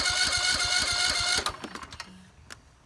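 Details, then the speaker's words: Husqvarna YT 21 HP lawn tractor, cranked on a jumper during a compression test: steady, rapid, evenly spaced chuffs of about three and a half per second, then it stops; about 80 psi, compression good. "£80 pressure. That's not bad. That'll start. Compression's good."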